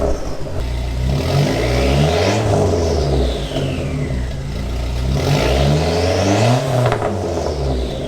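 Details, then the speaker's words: Car with newly installed Vibrant Ultra Quiet resonator replacing a too-wide muffler, warmed up, internal mic: clean throttle blips over a deep even exhaust tone with no rattle, sounding close to the previous muffler; healthy exhaust. "It's close to what the last exhaust was."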